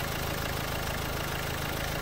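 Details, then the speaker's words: Renault Duster engine idling with the bonnet open, before oil treatment. A faint, quick, light ticking/knocking rides over the idle continuously while running. Tensioner, belt and timing were already checked, and there is no black smoke. Source not pinned down. "तर गाडीचा हलका cut cut cut cut असा sound गाडीच्या engine मधून येतोय"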